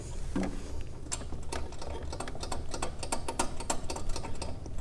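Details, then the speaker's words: 100,000-mile BMW 335is, engine off, wastegate actuator arm on the Mitsubishi turbo moved by hand: irregular light metallic ticks and jingles like loose change; the arm is worn and sloppy, moving in every direction. "You hear that? If you can't hear it, it sounds like a bunch of loose change."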